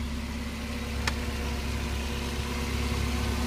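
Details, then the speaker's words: Mazda Miata with cold engine, in neutral: smooth, even low idle with no ticking or knocking, clean steady idle, sounds nice with a little throttle; runs well. "no taic noise nothing just very very clean motor idle really nice A little bit of gas a nice sound to it runs really really well"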